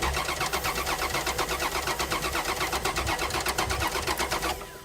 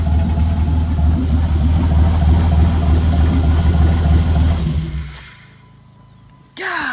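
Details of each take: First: Dodge Dakota not started in five years, fresh gas added; starter cranks steadily at roughly 160 beats a minute, never catches and winds down: no fuel delivery from a failed fuel pump, later found full of brown gas. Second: Dodge Dakota idling after its first start in five years following fuel pump replacement; deep, even rumble at a steady idle with no knocks or misses, then fades, running smoothly.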